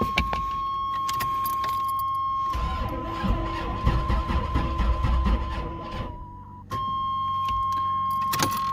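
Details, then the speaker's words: Firebird with 454 big-block and Thumpr cam, first start in about two months, battery on charger, no fuel in carb yet: starter turns slowly in uneven labored beats, never fires; slow crank, no start. "need to set the charger on it longer i guess see if i can't give this thing a little uh help because it still doesn't even have fuel in the carb yet"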